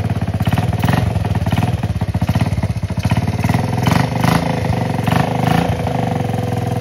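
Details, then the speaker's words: 1969 Honda Z50 (Z50A) mini bike after about 20 years sitting in a barn. First start after carb refit, new fuel lines and inline filter, on choke. Fired in 2 kicks; small single ticks over quickly and evenly with no misses. Runs well; oil dirty and seemingly low. "Than expected, 2 kicks and it started right up. Okay, this is awesome. This thing runs super good, it seems like."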